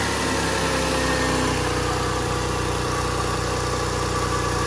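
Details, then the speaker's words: 2001 Lexus ES300 after alternator replacement: smooth even idle with a low steady hum and the old alternator whine gone, much quieter; normal idle. "It's so much quieter. I'm just glad not to hear that whine anymore. That was awful."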